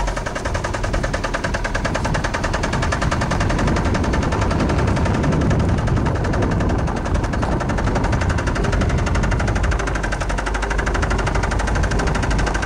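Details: 1999 Saturn SL2 1.9L twin cam that starts every time but smokes: loud, heavy, deep metallic hammering knock repeating irregularly over the running engine. Rod knock.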